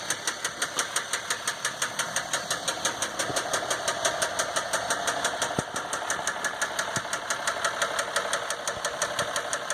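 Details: 2015 Dodge EcoDiesel truck, 18k miles, before second oil change: sharp regular knock about three times a second at idle, no check engine light, normal gauges and oil pressure, no power, cause undetermined.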